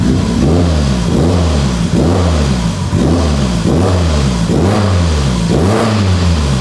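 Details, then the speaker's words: Mitsubishi Evo 8 restoration on base map, good oil pressure: strong, clean revs rising and falling about once a second, smooth with no knocks or rattles; healthy engine. "this sounds so good wow I'm appalled [Music] I'm speechless I just want to sit here and be happy that my car runs"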